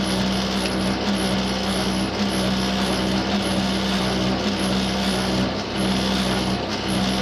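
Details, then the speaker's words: Faulty tumble dryer awaiting a second engineer visit: loud continuous rumble with a low hum and a faint knock about once a second as the drum turns. Rumbling noise. "I'll do it once more. You can hear the noise is dreadful."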